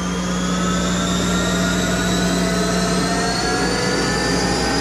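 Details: Monarch 10EE lathe with a 4000 rpm electronic variable-speed drive, warmed up with oil circulating, spindle run at top speed over 4000 rpm: a smooth, even high-speed whir with a steady tone and no knocking or rumble; healthy spindle.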